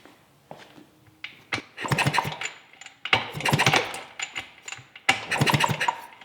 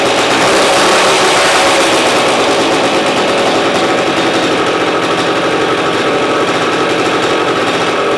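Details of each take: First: 1971 Yamaha AT-1 125cc two-stroke, not run in over a year, kick-starting after flipping the backwards-wired ignition switch: three bursts of kick-over clatter, no firing or catch; no-start, ignition giving no spark. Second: 1971 Yamaha AT-1 125cc two-stroke, not run in over a year, first start on choke with a rigged battery and slightly seeping fuel line: loud, busy buzz holding steady, no misses or stalls; firing cleanly.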